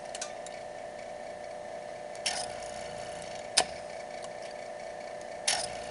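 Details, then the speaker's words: Electric boiler circulating pump after motor replacement with new coupler and oiled motors, previously making a loud banging noise: quiet, steady hum, faint even tone, only a few light clicks, no rattle; normal pump running. "Alrighty, here it goes. Ah, nice and quiet."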